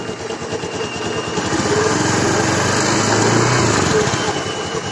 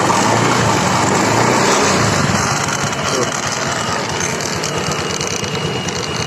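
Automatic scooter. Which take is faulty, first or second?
second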